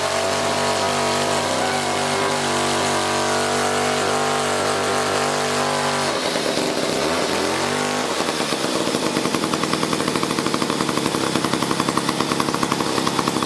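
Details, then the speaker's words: 1956 Eclipse Wasp chainsaw, two-stroke, after the reed block was fixed and the carburettor fine-tuned. A steady buzzing idle settles into crisp, even two-stroke chatter with no misses or surging; running normally. "I fixed that read block put it back together and it ran I just had a fine tune in the carburettor so here let me start it up and show you"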